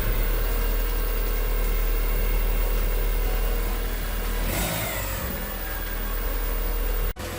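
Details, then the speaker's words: 1997 Mitsubishi Eclipse Spyder 2.4 SOHC idling right after timing belt replacement: even low rumble and a brief rev with no belt squeal. An exhaust rattle in the back at certain rpm is suspected to be something hitting, not a leak. "all right no more squeaky belts we have an exhaust rattle in the back not a leak to rattle"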